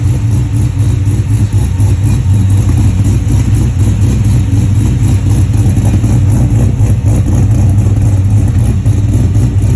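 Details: 1967 Chevelle with a 480 hp LS3 V8 at idle: deep, loping idle with an uneven chug, about three to four pulses a second; rough idle.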